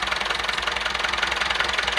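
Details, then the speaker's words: Massey Ferguson MF 165 diesel tractor started cold after the diesel had drained into the crankcase and the injection lines were bled, on a rainy, windy Swedish autumn day; quick, even diesel clatter at steady idle while warming up, no misses or surging: normal idle. "so i'm gonna start it up let it warm up a little [Applause] [Music] that was easy"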